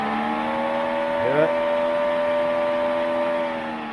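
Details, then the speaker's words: 1969 Chevy Van, newly installed dual electric fans: steady hum with quick rising whir as the motor spins up, then even drone; fan wired in reverse, blowing air into the engine instead of onto the radiator. "I think we'll hook it up the other way. Anyway, that is reversing the fan and blowing the air. It would be blowing the air into the engine."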